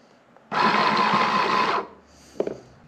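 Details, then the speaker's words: Walker zero-turn mower implement-mount linear actuator bench-tested on a battery with jumper leads: smooth, steady mid-pitched motor whine for about a second with no grinding; good bench test, it works. "but anyways that's a good bench test it works"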